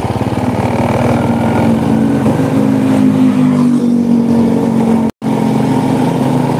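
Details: Honda Supra motorcycle shipped in by cargo in a box, after workshop overhaul of a badly damaged engine; test run sounds smooth and even, revving cleanly with no knocks, ticks or rattles, rides well: normal running.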